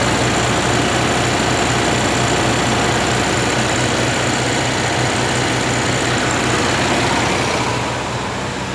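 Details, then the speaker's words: 1961 VW Beetle air-cooled flat-four, cold, choke open, first test fire after wiring work on weak battery: fast even clatter at steady speed, no misses or knocks, quite smoky; normal running. "Oh, she sounds like she'll go. Double check. It's cold. The choke's open. So, we know this part works. I Heat. Heat. Sounds good. Pretty smoky."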